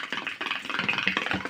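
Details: LED TV with audio fault, video fine: harsh, crackly, rasping bursts instead of clean audio from the speakers; fault in the audio section/card.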